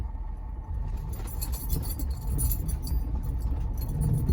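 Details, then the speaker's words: 2020 Ford F-250 Super Duty, 40,000 miles, driven over bumps: thumping with springy metallic rattle like a flicked spring from the front passenger-side end, begun after a trip on rough parkways. "And ever since I got back, I've been noticing this, I describe it as kind of like a springy rattling sound coming from, seems like somewhere in the front end towards the passenger side."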